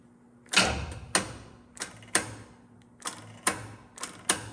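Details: Mockup engine in a 1948 Pontiac Silver Streak build, cranked on a normal battery: sharp single clicks, about eight in five seconds, with no cranking between them. The starter can't turn because the battery supply is too weak.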